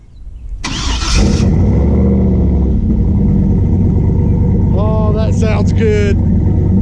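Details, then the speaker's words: Turbo Chevy C10 V8 with new bigger 78mm turbo, first start on new stainless exhaust with flex pipe, single-chamber 3-inch Flowmaster and custom wide-mouth tip, fixing earlier leaks: deep steady even burble, no misses or ticks; normal idle. "oh dude that's freaking good then it sounds like a race truck does race truck why it is it is I mean it's not quiet but let it settle into a doddle"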